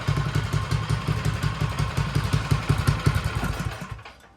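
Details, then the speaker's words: Troy-Bilt 24-inch snowblower after tune-up, clean carburetor and timing checked: small single-cylinder popping along evenly with regular, steady firing at low idle before cutting off; healthy, clean idle. "sounds good Run's good and purs like a kitten good low idle good high"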